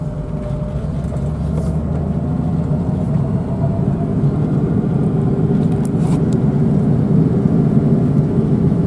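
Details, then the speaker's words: 1986 BMW 325e sedan that sat for 7 years and would not start, running again after the wrong main relay was replaced: even, low engine rumble that holds steady and gently picks up, with no misses or knocks; normal running. "It runs, guys, it runs."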